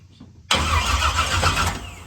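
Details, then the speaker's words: Henry J drag car parked since 1977, after reconfiguring the toggle switches: loud, rapid, steady starter cranking for about two seconds that trails off without catching; a spark was seen afterward. "So, let's try the starter button. See if we have some fire. The good kind of fire."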